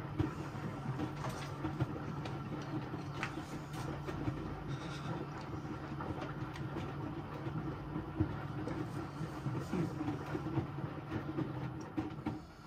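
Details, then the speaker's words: Electrolux Professional W555H commercial washer on a custom Intensive 60 cycle, water around 41°C, heat-retain stage: steady low rumble with gentle rhythmic slosh and tumble about once a second, even and unforced; normal wash action. "Liking this wash action. Sorry? That's good, little wash action, yeah."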